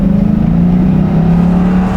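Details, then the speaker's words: 2001 Ford Mustang GT after a high-idle fix, with the AC on: revved on the road, then shifted into neutral, the engine hum eases back down to about 1000 rpm with no hang-up. The idle returns normally, and the fault has not recurred in two days. "it goes back down to one but I mean it's it's pretty much fixed I mean we have been driving it for the past 2 days it hasn't happened again once"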